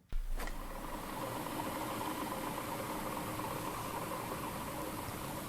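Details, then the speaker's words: A5 Air kick scooter rear wheel after loosening the over-tight axle nuts: smooth, even whir as it coasts down with no grinding or drag; retightening raises the pitch and brings back drag; wheel now spins freely. "okay so it sounds normal now listen when i yeah when i loosen it it changes when i tighten it it like kind of goes back up in pitch again"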